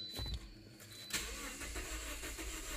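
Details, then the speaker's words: 2009 Toyota Corolla 1.8L with P0304 cylinder 4 misfire, suspected burnt valve: starter cranks with an uneven beat, one compression stroke lighter, indicating a low-compression cylinder; cause not yet confirmed. "oh you can hear the cylinders low i could have swore that when we did this before there was it didn't sound like it was low"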